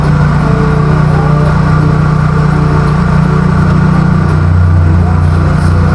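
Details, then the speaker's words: Nissan Sentra, engine running, first suspected aircon compressor: steady low drone with a constant rough metallic grind on top; mechanic traced it with a stethoscope to the worn belt tensioner bearing, which is replaced. "So naramdaman ko at narinig ko nga na sabi ko parang may nagkikis-kisang bakal dun sa dun sa may makina niya."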